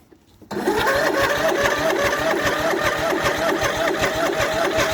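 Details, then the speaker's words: MTD Yardman riding tractor twin, first start in years on 1–2-year-old fuel, valves just adjusted, starter replaced, booster pack on battery, choked: steady starter whine with even, rapid compression pulses; turns freely but not yet firing. "I got a booster pack on the battery. Got choked. Let's see what happens."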